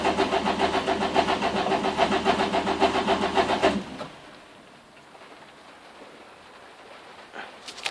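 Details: Renault Clio phase 1 track car after a jump start with the leads connected incorrectly: starter spins evenly for about four seconds without catching, then stops. Engine cranks but won't start.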